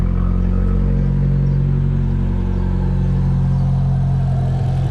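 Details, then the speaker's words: Engine just fitted with a Forge induction kit, cold on choke: deep, steady, even idle with an airy intake suck that fades as the choke turns off; healthy normal idle. "i can't hear it so much anymore now that the choke is turning off but you could really hear the the uh the air getting sucked in the airflow there"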